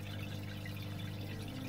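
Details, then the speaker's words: Small aquarium pump in a bare-bottom tank: constant low hum with a faint watery buzz, getting noisier; owner thinks it might be in a bad spot and expects it to be near the end of its life. "You might be able to hear it. It's getting noisy. Probably the next time I pull it apart, it will probably be the last time it goes back together."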